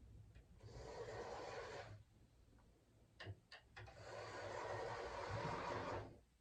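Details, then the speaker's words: Hornby TFW Class 67 model locomotive test run on a 9-volt supply instead of a controller: two smooth passes of quiet, even motor whir rising and fading, a few handling clicks between; the motor runs well. "You know what? That's a good run there. It sounds good as well,"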